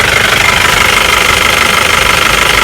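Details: Mahindra Bolero diesel after the power steering pump was repaired and refitted, with no leaks: even, steady idle clatter with no pump whine or groan; healthy running.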